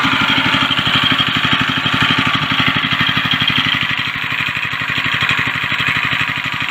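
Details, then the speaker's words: eBay go-kart with a single-cylinder engine and centrifugal clutch, after rust cleanup of clutch and chain with WD-40 and a wire brush and reassembly; fast even thumping at about 2.5 beats per second, slight drop near the end; clutch engaging, normal running. "So the centrifugal clutch is doing its thing."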